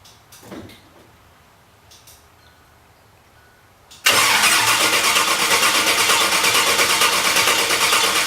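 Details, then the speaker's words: After a quiet spell the starter cranks at a steady even pace but the engine never fires; owner unsure whether the fuel pump runs, fuses appear connected. "Well, no immediate start. Do I have fuel? Who the hell knows? All fuses appear to be hooked up."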